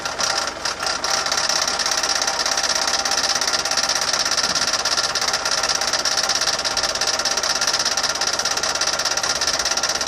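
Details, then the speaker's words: Land Rover Defender 200TDi diesel idling before repair: a fast, busy metallic rattle like a paint rattle can rides over the clatter, steady with engine speed; the failed power steering pump, later replaced. "Now that horrible noise that you could hear coming from my engine was actually the power steering pump, which has gone on the Land Rover."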